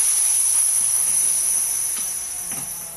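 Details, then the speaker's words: Husky C303H air compressor with regulator not sending air to the hose, regulator turned to 0: steady high hiss slowly fading over three seconds as remaining air bleeds off the outlet hose. "Okay, so that let the remaining air off of the outlet hose."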